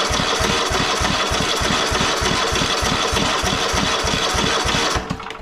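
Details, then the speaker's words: Cub Cadet XT1 LT46 lawn tractor, just started after an oil and filter change and a new fuel filter: small engine speed hunts unevenly at about three pulses a second instead of holding steady, so the governor needs adjusting. "Okay, as you see it started, but this governor needs to be adjusted."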